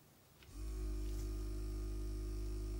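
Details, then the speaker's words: Cheap "ultrasonic" jewellery cleaner, actually a vibration motor, reassembled with glue and running with a PCB in isopropyl alcohol: motor kicks in after half a second and settles to a steady low hum with even buzz; reasonable, consistent agitation. "a reasonable amount of agitation there we'll just have to see in quarter of an hour just how clean it is"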